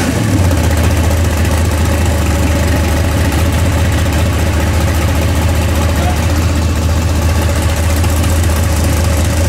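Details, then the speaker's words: 406 small-block Chevy V8 in an S10 during break-in, timing at 34 instead of 38 degrees, mixture richened; heavy even idle rumble with no misses or tapping, running cleanly though not yet fully hot. "it's it's doing better now that I fattened it up a little bit"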